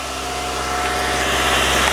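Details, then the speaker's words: 1960 Triumph TR3A fresh from winter storage, with oil checked and carbs primed, started on the first crank: smooth, even idle with a steady low hum and no knocks, misses or hunting. Pretty darn good for sitting all winter. Normal idle. "Alright, pretty darn good for having set the whole winter. Sounds great. That sounds pretty good."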